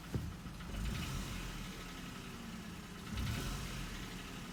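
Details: Hyundai HB20 three-cylinder engine: uneven diesel-like clatter over idle and light revs; three mechanics called it normal three-cylinder noise, one thought it sounds like a piston pin; cause unclear.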